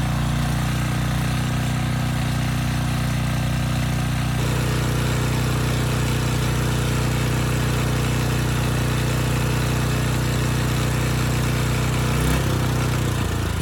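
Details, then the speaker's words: Rebuilt 10hp Briggs & Stratton single swapped into a Storm Responder generator, brief test run without the stator heat shield: steady low thump with a light regular knock each revolution. The knock is not the tins as earlier suspected; cause unknown. "the good news is the powerhead seems to work fine the bad news is that noise the knock that i was convinced earlier what were the tins where they meet right here it's not"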